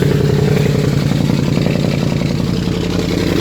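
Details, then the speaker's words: 2013 Audi S7, 42,000 miles, salvage-auction car, running with an effectively straight-piped exhaust: very loud, raw blatting with choppy low pulses and no muffling, smoke visible from a turbo that has gone bad. "straight exhaust at this point. Very, very, very loud. See the smoke from the turbo that's gone bad."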